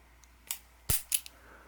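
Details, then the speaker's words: Ruger SP101 after trigger polish, slow double-action pull: faint tick and sharp click midway, then clicks as hammer falls; hitch at transfer bar, absent with mainspring out, later fixed by replacing polished hammer dog. "There seems to be a wall on double action. And you can feel about halfway through the trigger pull. And if you look at the transfer bar, you can notice a hitch in the transfer bar."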